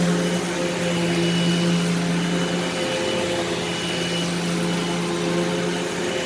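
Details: Eureka SmartVac 4870 upright vacuum rebuilt from two broken machines, running on high-carpet setting: steady motor hum at constant pitch, sagging slightly near the end; normal running, though the belt later seems to slip slightly.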